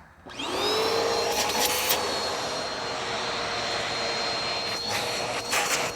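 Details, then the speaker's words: Bissell Powerforce Helix Turbo Rewind 1797 under refurbishment: motor spins up fast to a steady high whine with strong airflow rush, pulling smartly; healthy vacuum motor. "yeah it's pulling the machine pretty pretty smartly yep"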